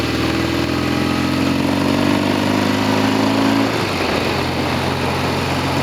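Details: Norton Commando 750 on a road test with two new Amal float bowls: steady, even twin-cylinder note, and the rear wheel no longer makes its earlier clunks.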